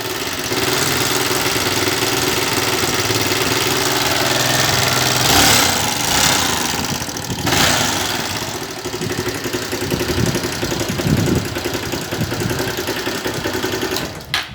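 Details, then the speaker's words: Motorcycle taxi engine at idle with a loud, uneven metallic clatter like a loose chain thrashing; cam timing chain suspected, not confirmed. "ai galera dessa moto táxi um barulho de corrente não sabe ela vamos ver o que pode ser um barulho forte é como bola assim"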